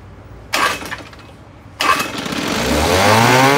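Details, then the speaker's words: 1972 Johnson 6R-72D 6 hp two-stroke outboard, said to need an impeller, barely pumping water: two pull-start tugs, catches and climbs to a high buzzing speed that stays up; won't idle down, owner suspects a dirty carburetor. "does really want to idle"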